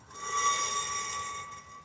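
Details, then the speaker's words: 2004 Chevy Blazer, 7.5 rear axle with rusted backing plates, pads removed: a thin metallic scrape rising and fading as the rotor turns, the parking brake shoe sliding against the backing plate. "that that's nothing but parking brake shoe and backing plate sliding against it because there's nothing else on it right now"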